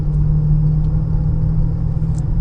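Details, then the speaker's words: Honda Pilot (2014 in title, owner says 2015) with a steady low drone under road rumble at cruising speed that grows when steering left and quietens when steering right. This points to a worn driver's-side wheel bearing; previous mechanics suspected the VTM transfer case. "so on a bearing anytime you pull to either side increasing noise level okay that would lightly the bearing yeah"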